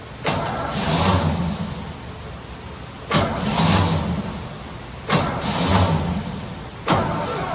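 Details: Small block in 1972 Chevy C10 just rescued, first start attempts, weak starter: catches, surges and sags every two or three seconds, can't hold steady idle; rough running after start.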